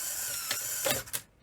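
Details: Sony SL-HF100 Betamax being repaired for poor playback, loose spring found inside: brief smooth motor whir then a few clean clicks as the tape mechanism cycles, no grinding or strain; normal operation, though power supply singing noted.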